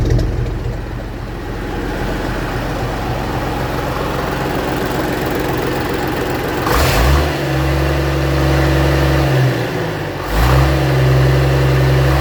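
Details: 1965 Gardner 6LXB 180 six-cylinder marine diesel, test-run on the stand after a rebuild following failure at 80 hours since a previous overhaul: settles into a steady, even beat and picks up cleanly on two quick revs; healthy, smooth running.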